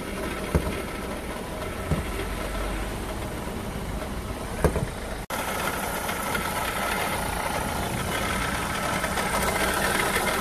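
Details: Renault Clio III, 1.5 dCi 85 hp diesel, 300,000 km, idling: faint steady whirr over the clatter, constant with revs; alternator problem suspected.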